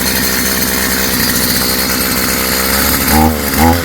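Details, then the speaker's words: STIHL FS55 string trimmer two-stroke after new carburetor kit install, on choke, running without air cleaner: crisp steady high buzz holds even, blips up and settles cleanly at a decent idle; runs well. "Not bad. Sounds good. Idling at a decent idle or RPM."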